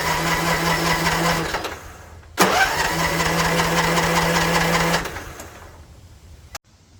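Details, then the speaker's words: Troy-Bilt TB42 riding mower, non-running, new battery and fresh fuel, choked: starter spins engine freely in two even bursts, steady whirring with no firing; cranks but no start, spark check next. "That is good news that everything is turning over freely."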